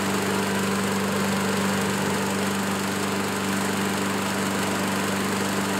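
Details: Curb-find Craftsman self-propelled lawn mower running well while cutting small growth. The small single-cylinder engine holds a steady, even drone under load with no misses, surges or knocks. Normal running.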